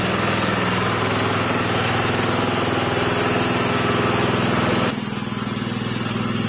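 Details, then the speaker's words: Wheel Horse small single-cylinder engine, first run after a rebuild. It runs steadily with an even beat and no knocks or misses. About a minute later it began leaking red fuel, burning oil somewhere and blowing blue smoke. "so that is awesome guys the engine started up after the rebuild and you hear how well it ran it was running flawlessly until up until about a minute into it"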